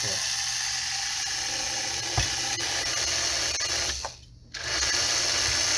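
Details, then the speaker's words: 1946 American Flyer #300 4-4-2 Atlantic locomotive, long unused, first test run: high steady motor whir with sharp isolated clicks; the reversing unit moves but won't advance, so the engine only runs one direction. "the reversing unit is not working um well that's not entirely true i heard it moving but now that it's it's operating i'm not getting it to advance"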